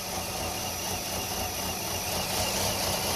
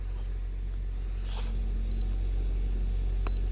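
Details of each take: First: Nissan Altima 2.5L four-cylinder, 101,000 miles, codes P0011/P0300, stalls after starting: rough, uneven laboring idle with lumpy pulses heard in exhaust, car shaking, dies in gear; faulty intake valve timing solenoid. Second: Nissan Altima 2.5L four-cylinder that stalled after 1–2 minutes with code P0011, after intake timing solenoid replacement and code cleared: low steady even idle, no misfire; runs smoothly, no check engine light.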